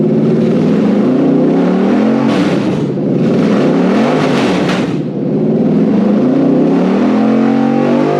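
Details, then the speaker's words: Toyota 1UZ VVTi V8 petrol on the bench with new wiring loom for a Hilux swap, first start: smooth idle with clean repeated rises to high revs; runs healthy, petrol stale from sitting. "i found the revlon that sounds better like that"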